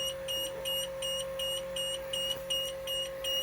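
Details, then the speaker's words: 2004 Blue Bird TC/2000 school bus that sat about two months, key on, engine off: steady high beeps about two and a half per second; warning buzzer during the wait-to-start and gauge test. "oh it beeps at me wait to start test"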